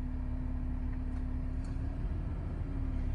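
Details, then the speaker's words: BMW E46 325 after alternator rebuild replacing a seized rear bearing: smooth, even idle with a soft steady hum and no whine or rattle from the front of the engine; quiet, healthy alternator. "Jadi agak berat ya dia ya mungkin seperti itu mungkin sangat senyap sekali ya teman-teman"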